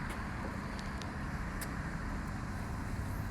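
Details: Range Rover Classic LSE soft dash V8 firing up, timing not yet set: a steady, even low rumble settling into idle with no stumbles, misses or knocks; running cleanly.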